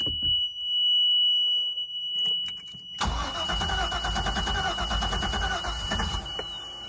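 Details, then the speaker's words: 2003 Bayliner 215 Bowrider, stern drive on trailer, not run since June: high electric whine of fuel pump priming, then engine catches at three seconds and settles into a steady run; normal start. "Hasn't run since June. Let's see how she does. Let that fuel pump kick on. Let's give it some fuel."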